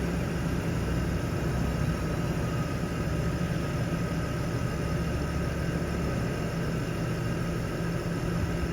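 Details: BMW E39 petrol engine after replacing a clogged catalytic converter header with a catless header: idles smoothly and evenly, no misfire; earlier cylinder misfire fixed.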